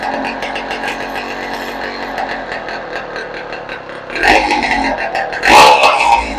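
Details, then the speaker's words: 2015 Yamaha YZ125 two-stroke after rebuild (crank seals, top end, cleaned carburetor), no gas tank or muffler: open crackling idle, then two sharp blips rising and falling cleanly; engine runs fine. "It works pretty good."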